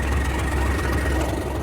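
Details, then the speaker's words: Class 37 diesel locomotive (37025) after climbing a grade hauling 450 tons: deep diesel idle with slightly uneven, lumpy exhaust pulses; cooling fan seen not spinning and fan clutch suspected faulty, cause not confirmed. "And I can hear in the pulse of the exhaust there's something just not quite right about its beat."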